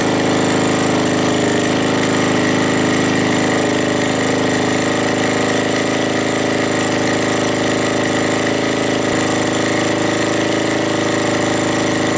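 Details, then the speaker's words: Suzuki GN250 single-cylinder after ticking repair, idling: loud steady beat about three pulses a second, no top-end ticking, loose rattle from unattached parts; engine now sounds like new. "it's working it's not ticking it's rattling but that's because of all my things around the bike are not attached so it's only just things going around there but the engine sounds like new"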